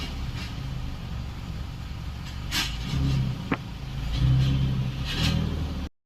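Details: Hyundai i20 gearbox: steady low droning hum with faint growl when clutch pressed; gear oil had run dry from leakage after a previous top-up, gearbox opened and fully serviced.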